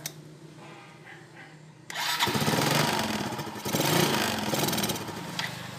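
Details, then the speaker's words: Yamaha Nouvo LC scooter that hesitates, stalls and sometimes won't start; spark plug and ignition already ruled out. It catches after a quiet start, then surges and dips unevenly. The cause is a long-used carburetor with fuel passages and jets clogged by dirt. "nguyên nhân chính của hôm nay mình làm video là do casin sử dụng lâu ngày bụi bẩn bị tắc từ đường xăng cho đến đường dũa"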